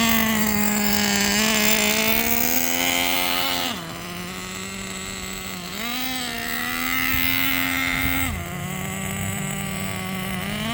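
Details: New engine in Jato 3.3 RC truck, first run break-in with quarter-throttle two-second pulses after tuning: high clean buzz rising and falling through short blips, steady between them; normal break-in run.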